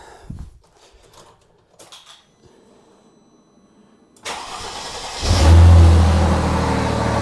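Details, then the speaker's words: Mercedes SLK AMG being rebuilt as a 300SL Gullwing replica, cold start in the garage with one exhaust branch joint unbolted: loud, raspy idle with a chuffing blow from that joint; exhaust leak. "So, there's still a fair blow um through that joint there that I need to sort out."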